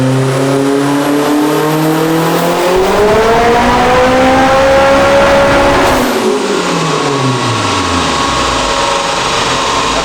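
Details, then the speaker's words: Turbocharged Acura RSX Type S on dyno after one more pound of boost and a slightly leaner fuel mixture: strong, clean note climbs steadily about six seconds then falls evenly; normal pull, 579 hp and 440 lb-ft. "boys this thing just made 579 horsepower 440 foot- pounds of torque and that was literally just a one pound of boost increase and leaning out the fuel mixture just a smidge"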